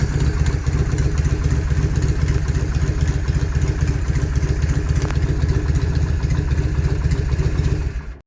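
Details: 1971 Norton Commando 750 Roadster, first start after refurbishment with engine and gearbox overhauled, after three decades off the road: a deep, even twin-cylinder idle with no knocks or misses; normal idle.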